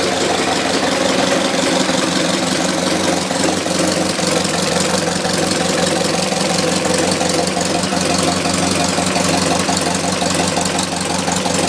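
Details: Engine idling, recorded inside the firewall where loudest: steady rapid knocking tap about three beats a second; also heard under power when accelerating or cruising, faint outside; owner unsure it's from the back of the engine.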